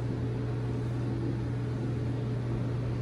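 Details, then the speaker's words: HeatStar 50,000 BTU gas garage heater on first start after vent kit install and leak test: steady hum with smooth rushing burner noise, no rattles or surging; running normally, smoke and burning smell noted. "i started to fire up there guys the burner is going on now pretty exciting there she goes"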